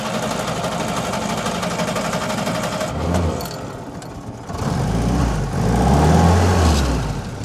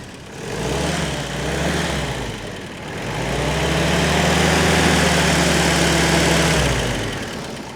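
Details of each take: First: WW2 Willys Jeep with a Solex carburetor, hot after a short drive: steady starter churning for about three seconds before it catches and settles into a happy idle. The old Solex carb also needed extended cranking like this; the cause is unknown. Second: WW2 Willys Jeep four-cylinder with a Solex carburetor: cranks a while before firing (the old Solex did the same), then a steady, even low chug settling after a brief rev; normal healthy idle.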